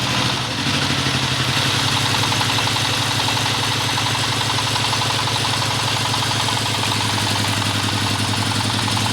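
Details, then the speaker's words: Dompeng S1115 single-cylinder diesel that pushed oil out the exhaust, after both loose valves were replaced with new valves and carbon cleaned: steady, loud chugging at constant idle with no knocks, and no white smoke in the first minute. Healthy. "nah ini masih satu menit pertama ini kita lihat aja dulu ya ini belum ada gejala tanda-tanda asapnya putihnya belum ada nih ya sobat diesel ini kita akan coba tes beberapa menit dulu ya"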